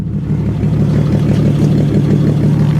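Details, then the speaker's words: Abandoned 1961 Ford Falcon first run after sitting, no vacuum advance, needs a tune-up: steady, even low rumble with no knocks or misses; runs normally, exhaust out the muffler. "oh wow listen to that that is perf perfect is it actually exhausting out the back sounds more like out the side"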